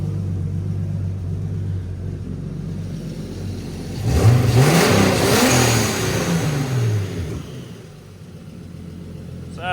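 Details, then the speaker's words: 1990 BMW 318i touring with turbocharged S52 inline-six, after fuel pump swap and freeing seized injectors (number three stuck): even idle picking up cleanly into smooth rev; all six cylinders now firing normally. "can't tell if we're running on six or five that was just five number three was sticking really hard but we got it now"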